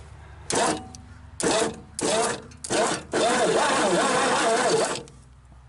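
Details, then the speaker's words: 1961 Dodge Lancer, cranking; owner had worried the starter was engaged: four short bursts then a steady free two-second crank without binding; sounds fine. "that's gonna fire oh don't sound bad at all I was worried about it because the starter was engaged or whatever"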